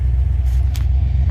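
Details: Engine that has power and starts despite doubts it would run; the brake is on, with a possible brake issue. Deep, even, lumpy V8 rumble with a steady beat and no knocks or ticks: a healthy, smooth idle.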